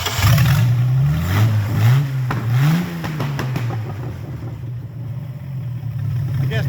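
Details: 1996 MerCruiser 4.3 GM V6 with rebuilt short block and crank kit, on a bench test run; restarted after it died (owner wondered if hot or out of gas): low, uneven revs rising and falling, settling unsteadily; carburetor trash suspected, not confirmed.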